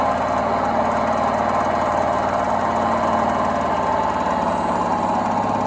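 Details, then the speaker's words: Indesit WIDXL126S washer-dryer universal motor on a variac after tweaking sticky brushes, spinning freely with a steady even hum and fast regular low flutter; running normally. "hopefully if i bring the power up it's turning fine it must have been just sticky brushes somehow"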